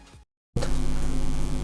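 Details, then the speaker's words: Micro SMD soldering iron on while repairing a Bluetooth headset with one silent side; after a short dropout a loud, steady low hum with a buzzy edge fills the audio; electrical switching noise from the soldering iron. "and this soldering iron is the main reason that why I ended up having to use a voiceover for this video, because this creates a lot of switching noise."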